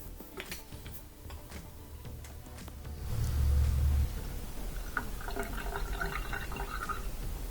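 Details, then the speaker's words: Dishwasher that wouldn't drain, after removing a piece of glass stuck beside the drain pump impeller, set to drain: rushing, gurgling water over a steady pump hum that swells then settles; draining normally. "There we go, so we can hear it draining properly now with the sink. So that's all it was, just a piece of glass stuck in there."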